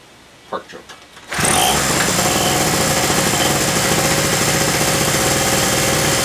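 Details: King Canada 950W peak two-stroke generator, about 2 hp, on premixed fuel, sat unused a while and wouldn't start: after plug tightened, a few quiet taps, then it catches at once and settles into an even, buzzy idle with no misses.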